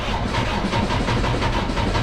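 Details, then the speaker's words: 2017 Freightliner Cascadia DD15, about 800-900k miles, excessive blow-by, during a scan-tool compression test: slow, uneven, struggling cranking with one weak stroke; number 3 cylinder lowest, teardown found damaged liner and piston number 3. "That's really struggling to start. That sounds horrible. Absolutely horrible. And look at that. Number three. So, right now, number three is definitely the culprit."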